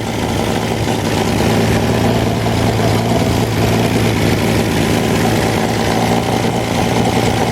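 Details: Wolseley 14/56 14/60 six-cylinder engine on an engine stand after years in storage, fresh oil and filter: even, smooth warm idle with no knocks or ticks from a quiet bottom end. Good oil pressure, slow warm-up from an oversized Ford 351 cooling system. Normal warm idle.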